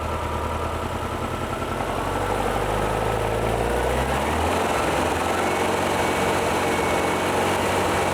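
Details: VW-based Porsche 356 Speedster kit air-cooled engine, warm test after remote oil filter over-pressurization repair. Oil pressure holding about 50 psi then down to 40–45, no leaks, oil cooler warm. Steady, smooth low thrum with no knocks or ticking; clean idle.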